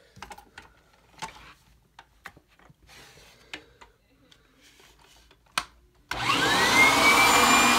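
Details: 1997 Kirby G5 upright vacuum with metal fan, hose attached running dusting brush: after handling clicks motor starts and holds steady even high-pitched roar, no grinding or wobble; fan sounds like a vintage 500-series Kirby; normal running.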